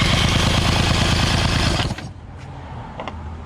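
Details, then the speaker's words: Outboard motor that sat without spark plugs, fuel pump and filter missing, cranked for compression test: even cranking pulses, readings 110 to 130; good powerhead, normal cranking compression. "110 130 again sweet we have a good power head 110 120 130 on the dot"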